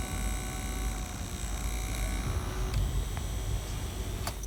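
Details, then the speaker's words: Ford Focus 2 climate-control cabin air temperature sensor, removed from behind its grille: thin steady high whine from its tiny fan motor, louder or quieter by sensor position; causes found were dirt in the motor, sensor orientation and dashboard resonance. "в этом положении очень сильно шумит слышно вот так как чуть меньше но тем ни менее шум посторонние есть"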